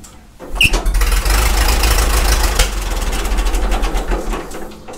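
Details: Caterpillar Ten tractor, first start after long storage in a shed, in neutral with choke at three notches. It catches quickly and settles into a deep, steady low chug without stumbling, a clean cold start.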